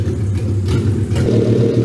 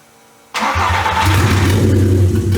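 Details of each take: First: 1985 Porsche 944 with a swapped VW/Audi 07K 2.5L inline-5, after fuel-map adjustments to stop the hunting (owner suspects board pots caused the sync loss): a deep, steady rumble at an even idle with no surging. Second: 1985 Porsche 944 with a swapped VW/Audi 07K 2.5L inline-5, just after rewiring in firing order A-B-C-D-E, with the alternator producing no output: it fires up, then the idle rises and sags, surging and losing RPM sync for unknown reasons.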